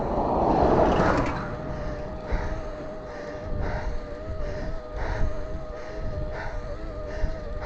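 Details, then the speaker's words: Cheap 48V hub-drive e-bike kit on last half of 16Ah battery, about 43 V, level 5 assist, 1-to-1 gear, steep Woodland Way climb in over 30°C heat: mid-pitched whine surging about four a second; hub motor labouring. "Level 5, 1-to-1. Neither me or the bike are liking it much, as you can hear."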